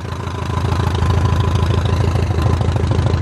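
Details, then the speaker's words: 2006 Zodiac 601XL SLSA aircraft engine on first start after 8 years sitting, with a new battery; tach 770 rpm, oil pressure 46: strong, even low thrumming about three pulses a second, healthy normal idle. "Bought this thing as a non-running, basically for the price of parts, and now it's slowly coming back to life. Oh man, that sounds healthy."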